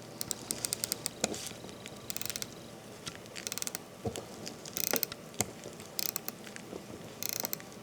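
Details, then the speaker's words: Landeron 248 chronograph movement being wound by the crown: fine ratchet clicks interrupted by sharper rattling snaps as the mainspring slips in the barrel after about 7-8 turns; damaged mainspring or barrel arbor suspected. "I will just wind it and then you will hear distinctively when the mainspring inside the barrel slips so here we go"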